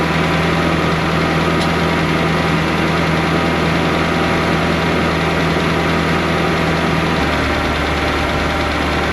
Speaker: Oh, that's pretty. He's alive. It's only smoking because I cleaned it so good. Well, it runs.